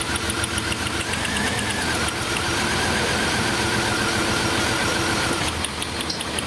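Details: 1999 Chevrolet S10 4.3 L V6 with distributor, P0300 code: idle stumbles unevenly with an irregular miss, one cylinder dead from a burnt distributor cap terminal, driver's-side rear.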